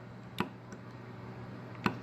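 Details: 2013 BMW E70 heater control valve energized on the bench with power to pin 1: two sharp clicks about 1.5 seconds apart in a quiet room. Normal solenoid pulling in.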